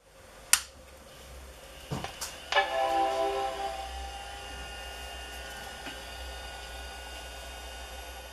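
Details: Macintosh LC-family desktop from the early 1990s: power switch click and startup chime, then a thin, steady high-pitched whine from failing logic board capacitors; hard drive also spins down and up and won't boot.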